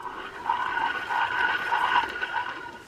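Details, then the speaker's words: Older heavy metal-cased Shimano spinning reel (possibly Miz or M1Z) cranked by hand gives a rough, gritty, loud whirr pulsing with each turn; bearing is shot. "bearing shot you can hear that in the background it is just a very loud and noisy uh bearing"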